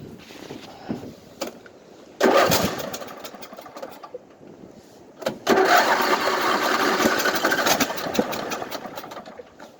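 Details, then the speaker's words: 1998 Craftsman LT1000 lawn tractor with a hard-start problem; owner suspects the battery was cranking slow: two long bursts of uneven starter churning, about three turns a second, and the engine never catches. Cranks, no start. "Give it a second. I'll have to call this hard start or attempting to start."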